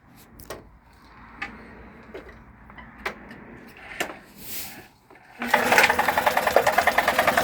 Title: Tohatsu 18hp 2 stroke knocking sound